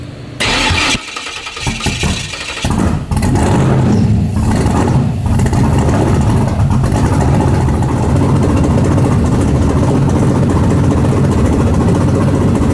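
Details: 1970.5 Chevrolet Camaro Z/28 drag car, LS6 with FT550 EFI on TPS-based tune, on hub dyno: cranks and stumbles about three seconds with sputtering pops out the exhaust, then catches into an uneven loud idle; ignition timing about 20° off.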